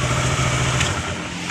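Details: Kawasaki 650cc big bike that would not start despite a strong battery, now running after repair: steady, crisp exhaust beat at a firm idle, RPM described as fine, easing slightly toward the end, no misfire or rattle; runs properly.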